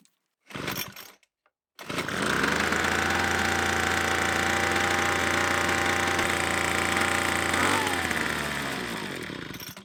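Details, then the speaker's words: Troy-Bilt TB2MB leaf blower after new fuel lines and a spark plug cleaning, with about 125 PSI compression: fires and screams at high revs, then sags and dies instead of idling; carburetor suspected. Will not idle, carburetor fault. "It fired right up but it won't idle. Must be the carb."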